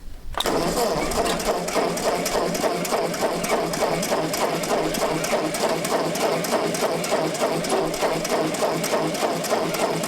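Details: Ford 8N tractor with gravity-fed fuel, after replacing a plugged inline fuel filter at the carburetor and resealing a cross-threaded fitting with Teflon tape: catches almost immediately and holds an even, steady beat about 200 per minute; runs smoothly, no misses.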